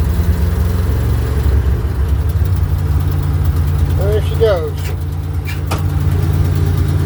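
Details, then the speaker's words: 1967 Ford F-600 dump truck, believed to have the 330 medium-duty industrial engine with electric fuel pump: deep, steady low rumble at idle, even with no knocking or stumbling; normal idle. "I think this has got the 330 medium duty industrial engine in it we've got an electric fuel pump so it's not a mechanical so I turn it on let's see what she got"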